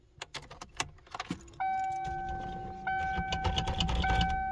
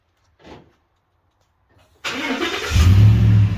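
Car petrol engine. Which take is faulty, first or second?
first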